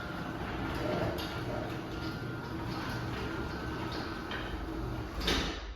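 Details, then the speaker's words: Craftsman 139.53964SRT belt-drive garage door opener running the door down: steady motor hum with faint gritty grinding underneath, the slight grinding this opener is known to do, otherwise smooth. "We'll run it down, you'll see the little bit of grinding that this thing does."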